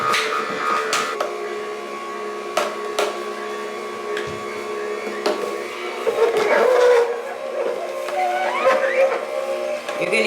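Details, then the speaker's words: Jocuu two-speed slow masticating juicer pressing small apple pieces: steady motor hum with uneven crunching and snapping of fruit; normal grinding noise for a slow juicer. "that's totally normal I've owned several juicers ranging from one to three hundred dollars and you're always gonna hear you know you're always going to hear the grinding of the food and the food"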